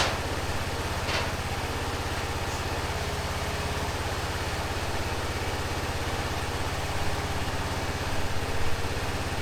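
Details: 2005 Honda TRX650 Rincon, 650cc single four-stroke, revived non-runner, cold on choke in neutral: a low, steady thump at about two beats a second, even and settled. The idle is clean and healthy, and the carb may need slight tuning.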